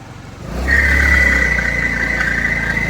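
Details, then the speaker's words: Honda Activa scooter engine revving: steady high whine and rough rattle from inside the CVT clutch, traced to broken pulley dampers. "ये आवाज है। तो ये आवाज क्या की है? क्लच के अंदर से क्लच खोल के देखते हैं। इसे क्लच की आवाज है।"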